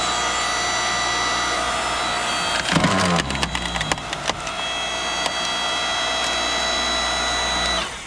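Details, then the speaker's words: BILT HARD 6.5-ton electric log splitter running under load, green button pressed and cylinder pushing a log: steady high-pitched motor whine holding pitch while wood cracks and splinters; normal motor whine under load, normal operation. "So I'm going to hit the green button. You can hear the whining of the engine."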